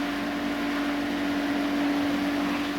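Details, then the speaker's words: DAB Jet 102M pump station, single-phase 1130 W motor, test-run from 50 L barrel with open valve: steady even hum, constant water stream; normal running. "запускати станція одразу починає качати постійний струмінь"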